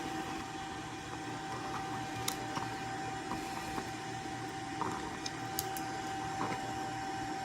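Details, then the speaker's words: Fabric network switch after reversing chassis and power supply fan airflow, all four chassis fans plus PSU fan set to 40% speed: steady even mid-pitched whir with faint clicks; fans running smoothly at reduced speed. "And you can hear the fan running on this. The other fans are running. That's all 4 of the fans plus a power supply fan running on the current platform."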